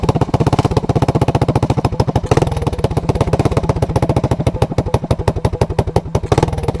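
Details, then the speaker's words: Honda ATC200S with a new clone carburetor that starts easily but runs poorly; the owner suspects vacuum leaks or a contaminated carb. Warmed up after a cold choke start, the fast, loud single-cylinder idle has pulses wandering in spacing and strength; better, but fueling isn't right. "so okay it's warmed up and it's idling i'd say it's a hundred times better but i'd also say this um this carburetor is not what it shoul"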